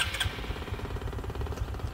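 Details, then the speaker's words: Honda Future 125, 34,000 km, original cylinder, before head and clutch work: starts and settles into rapid idle with a hollow, regular knock each beat, fender held to stop rattle; piston slap. "Cái chắn bùn đang rung lên, để tôi giữ chặt nó lại để bạn có thể nghe tiếng piston va đập. Giờ hãy nghe tiếng gõ cửa nào các bạn. Âm thanh lách cách lách cách đó."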